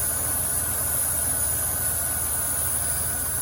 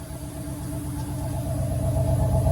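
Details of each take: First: 1990 Cadillac Allante after repairs, including a new intake gasket, running better than ever: a steady idle with a constant high, thin hiss of air being drawn in. A vacuum leak is suspected near the intake gasket and is being hunted with spray cleaner. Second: 1990 Cadillac Allante, warm after repairs to its main issues: smooth, even idle with a steady low hum and no misses or ticks; best it has run since purchase.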